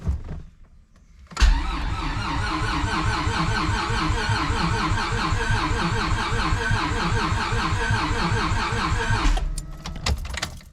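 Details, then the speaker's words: Stroker J-series V6 swapped into a Civic hatch, first start attempt after the ECU is hooked up and the fuel pump primes: the starter cranks steadily, about four turns a second, for eight seconds with no firing; cranks but won't start. "we're cranking that's a good step in the right direction"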